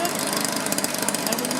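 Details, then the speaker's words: Two-stroke blower after no-spark/weak-spark repair, warming up with carburetor limited to quarter-turn adjustment by restrictor caps; fast even buzz with steady crackling exhaust, holds speed without misses or surging; normal running. "he still got the restrictor caps on there so I can only turn it like a quarter turn but it runs okay"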